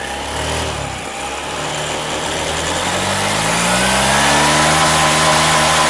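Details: Car after fan belt installation and tightening, tested before covering the pulley: engine revs smoothly, pitch rises cleanly with throttle and no whine, which a loose belt would cause; sounds healthy.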